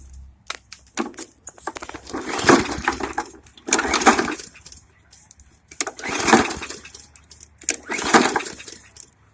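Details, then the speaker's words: Hyper Tough lawn mower, OHV engine, freshly fueled and still not starting: four separate pull-cord rattles about two seconds apart, never catching; possibly flooded, cause unknown. "So to be honest, I don't know why it doesn't want to run."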